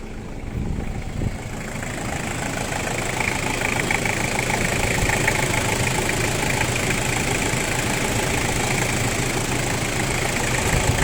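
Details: Toyota 1KZ diesel at steady idle with a sharp, fairly even rattle about four times a second riding over it; owner suspects injector knock, not confirmed.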